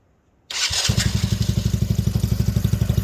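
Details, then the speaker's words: Go-kart started after first-time MIG weld repair of broken frame: starter catch, then quick even putter at about four pulses a second settling into a steady idle; clean, healthy start. "sounds pretty nice."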